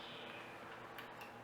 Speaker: yeah this has a severe case of motor issues that let's see and it won't be recognized oh yeah that is you can hear it try to initialize the head so yeah that's a motor failure right there